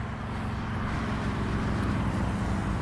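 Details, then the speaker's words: Honda Pilot cranked with new battery after lying on its side: rough rapid low banging, about three or four beats a second, as water and oil in the cylinders hydrolock it, later found to have broken a piston. "It didn't want to crank at first. And then we tried it again, and it cranked, and it started making a banging noise."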